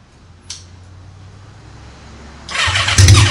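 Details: Motorcycle started for the first time, with a borrowed battery and most of the wiring still hooked up, before teardown; starter whirrs, then the engine catches with a loud, deep bark and runs; normal start.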